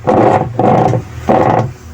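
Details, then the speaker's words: Dowell washing machine, unplugged, pulsator turned by hand: three rough grinding bursts from a worn gear case, which is to be replaced. "So maingay nga kapag pinaikot mo yung pulsetor niya. O pagka ganyan ang problema niyang granahe o gear case."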